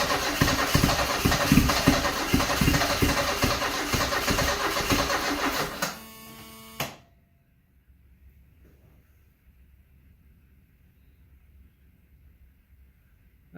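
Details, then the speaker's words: 1974 Alfa Romeo Spider Veloce, 10K original miles, revived after 30 years in storage: about six seconds of steady starter cranking, roughly three turns a second, with accelerator floored, never catches; fuel pressure light on, owner suspects flooding; crank-no-start. "It's trying. I wonder if there's something I'm forgetting here."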